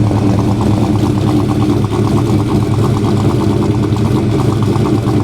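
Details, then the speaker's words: 1940 Chevy Master Sedan 85 idling just after starting from about 2 weeks of sitting: a loud, even idle with a steady, regular firing beat and no knocks, misses or hunting. Normal idle. "There it is. Sitting for 2 weeks, fire it up, not a problem. Not a problem."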